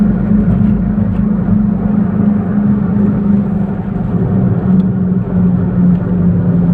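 A steady low hum holds an even pitch over the road rumble while driving; the source of the hum isn't clear from this alone.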